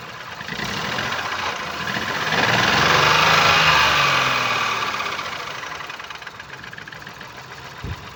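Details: 2019 Ford Focus IV 1.0 EcoBoost petrol (998 cc, 92 kW/125 PS, B7DA), 91,787 km, idling with no compression in cylinder 1; uneven lumpy beat about four pulses a second with chuffing stumble; misfire.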